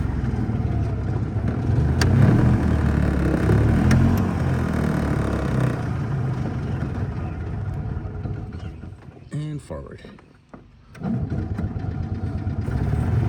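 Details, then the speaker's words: Edsel running on choke: uneven rumble that loads up rich and four-strokes, sagging nearly to a stall, then picking back up; the owner suspects a fuel delivery issue, not confirmed. "It's four stroking. Then it's rich. There's like no happy medium on this choke."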